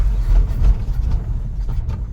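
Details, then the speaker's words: 1963 Chevy 2-ton dump truck, 292 six-cylinder, 4-speed, sat 15 years, running off carb bowl primed by hand, old fuel in tank: rough, uneven chugging that sags and dies; fuel starvation, not picking up gas from tank. "Not happy. Nope, she's empty. Dang it. We're gonna fill the bowl up again this is older than that, and it's not picking it up."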